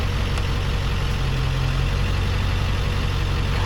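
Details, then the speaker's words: 2002 Ford F250 in "stealth mode", with the idle dropped from setting five to three: a steady low rumble at the slightly lowered idle, smooth with no knocks or misses. Normal. "yeah you can use that on stealth mode which it kind of just lowers the idle a little bit"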